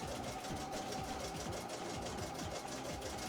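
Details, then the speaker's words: A machine being put through its paces before going back to the customer next morning, left chugging away; quick, even needle-drive chugging with a steady rhythm and no catches or grinding; normal running. "should be all good you can you should be able to hear that machine chugging away"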